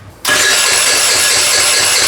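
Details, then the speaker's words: Rebuilt GY6 49cc 139QMB scooter engine after timing fix: high even starter whir with no firing; cranks freely but won't start because the carburetor is dry, air bubbles in fuel. "There's no gas in the carburetor, so it might take a bit, but let's see. Nothing happens."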